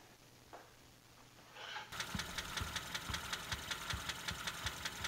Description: Learn what causes that annoying ticking and tapping sound and how to quiet and prevent it.